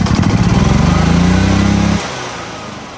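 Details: Gas EZGO golf cart (2008-up) that had died, engine cranked in neutral with key on after repair to check charging (about 14.5 V expected): steady, even putter for two seconds then clean cutoff; battery charging, runs normally.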